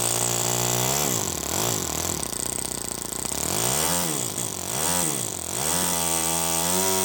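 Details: First startup of a Toyan FS-S100AC miniature four-stroke methanol kit engine: high buzzy note swings up and down a few times, then settles into an even, steady idle at roughly 1000 rpm; running smooth.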